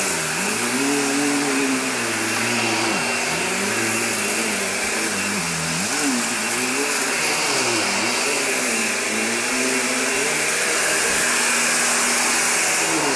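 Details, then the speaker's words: 2005 Hoover Empower upright vacuum: loud, steady motor whine with a wavering, warbling rumble underneath; owner says belt needs replacing and brushroll bearings seem to be going. "Yeah, I know I need a new belt, so don't go bashing me in the comments."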